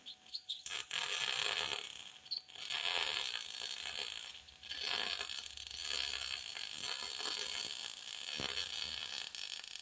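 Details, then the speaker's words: MIG welding universal motor mounts on a 1958 Ford Fairlane, overhead: crackling arc hiss that keeps breaking up and fluttering. The ground clamp was bumped and made poor contact, too far from the weld. MIG arc flutter from bad ground. "that's a good example of what what a bad ground will sound like you hear that flutter flutter flutter flutter flutter it's too far away"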